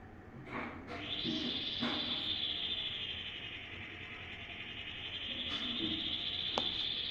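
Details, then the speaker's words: Voltas AC indoor unit running with blower cover open, motor exposed; loud steady high-pitched whine with occasional ticks from the blower; defective blower motor. "ये आवाज़ आ रही है बहुत तेज।"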